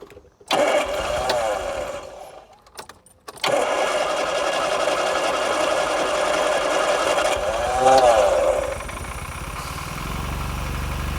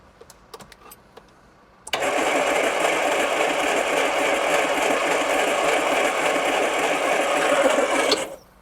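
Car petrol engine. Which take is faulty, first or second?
second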